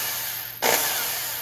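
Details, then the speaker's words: Second Black and Decker drill, compared with a 30-year-old one whose bearings gave trouble: spins up sharply to a smooth, even high whir with no grinding or rattle, spinning far more freely; bearings sound fine. "this one the bearings sound fine and it even spins a lot more freely way more freely than this one did"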